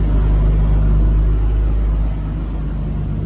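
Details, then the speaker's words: Toyota Land Cruiser idling after cat replaced with straight pipes, new O2 sensors and exhaust repair: deep, steady throaty idle with an even low rumble, no ticks or misses; running healthy, no check engine light. "It sounds great. And look at this. No check engine light. Very cool. I like the sound of it"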